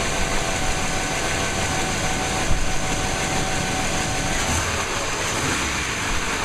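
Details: 1998 5.7L 350 Vortec V8 after rebuild, run briefly before distributor timing is set; smoked from blow-by at first start but no longer smokes. Steady idle, even rumble with faint high whine, no ticking or knocking; healthy.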